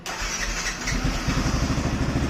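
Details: Yamaha FZS V3 that intermittently would not start; no fuel pump output line from the key set was found, and replacing the key set fixed it. Brief starter whirr, then the single catches within a second and settles to a steady, even idle. Normal start.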